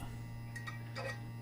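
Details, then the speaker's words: Peugeot 207 CC GT 1.6 THP turbo petrol, key turned to pre-start to pump out stale fuel: low steady electric hum with a couple of light ticks; fuel pump priming normally at key-on, plenty of fuel delivered. "climb two so as you can see quite a bit of fuel actually comes out just when you turn the key to the pre-start position"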